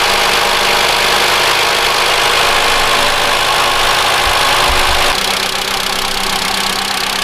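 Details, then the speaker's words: 2013 Mitsubishi ASX 1.8 petrol, CVT, 448,000 km, after replacing the slipping alternator pulley. Cold engine at high idle, smooth and even and easing slightly lower, with no rumble or knock from the front; normal. "Сейчас обороты высокие, двигатель холодный, поэтому прогреваю, смотрю."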